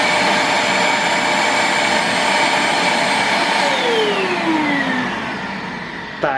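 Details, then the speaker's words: Multilaser 2-in-1 1000W vacuum HO03, usually drawing about 350-372 W: intake sealed by hand, whine sags lower in pitch; draw drops further but strains the motor, which runs warm. "ficou mais econômico ainda mas não façam isso que force o motor gente é só uma curiosidade"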